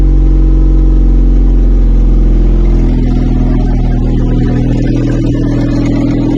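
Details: 1986? Honda Acty kei van, rotten project, first start after fuel pump priming on choke: a small engine drones loud and deep with a raspy, even beat at idle, far too much exhaust noise from the rotted, leaking exhaust.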